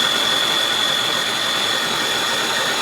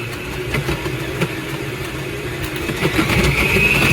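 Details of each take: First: Aucma 6.5-quart 660 W six-speed tilt-head stand mixer running at its top speed while making homemade butter: a loud, steady, high-pitched motor whir with an even gear hum and no grinding or catching. Normal high-speed operation. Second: Aucma 6.5-QT 660W 6-speed tilt-head stand mixer makes a harsh, gritty grinding that pulses about four times a second and grows louder and denser; the mixer also walks and locks.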